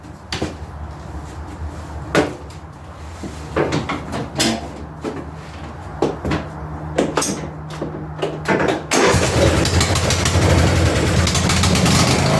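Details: Ariens/Husqvarna garden tractor after battery, carburetor, intake manifold, head gasket and flywheel replacement: several loose clanks, then the engine catches near nine seconds and settles into an even, steady run.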